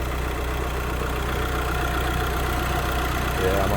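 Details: VW Crafter campervan diesel after head gasket failure and top-end rebuild, warm with temperature sitting around 90: steady even idle clatter with smooth low rumble, no knocks or misses.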